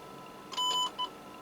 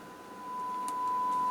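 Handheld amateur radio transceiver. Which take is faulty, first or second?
second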